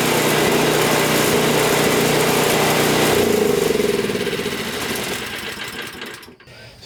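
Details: Toro single-stage snowblower that would not start, running after GumBuster carburetor cleaner, fresh fuel and primer: fast, even single-cylinder buzz, then winds down as it shuts off, normal running.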